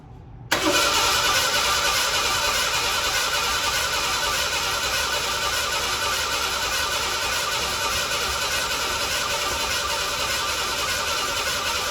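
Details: 1987 Ford Bronco II, abandoned 15 years, fuel tank just dropped; fuel pump audible, starter churns steadily over ten seconds with no firing, crank no start.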